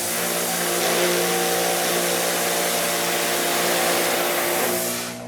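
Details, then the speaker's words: Greenworks electric pressure washer after swapping the gun (earlier 600 psi, 13.6 amps, much handle vibration): steady even motor whine and pump drone, no surging or pulsing; now running properly, as it should normally. "there it runs great there that's the way it needs to run normally"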